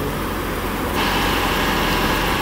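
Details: 2012 Ford E-series V10 van after replacing spark plugs and coils for a misfire, idling: steady, even idle with no stumble or skipped beats, constant low rumble; firing cleanly, though O2 sensors likely burned out by the misfire.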